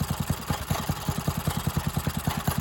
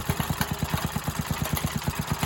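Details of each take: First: Briggs and Stratton engine on a free garden tiller, revived after not running, fresh gas: quick single-cylinder beat at steady full speed, slightly lumpy like a cam, otherwise running fine. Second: Briggs and Stratton tiller engine revived from non-running: fast thumping near ten per second with uneven pulse strength; uneven, loping idle, owner suspects it sounds cammed.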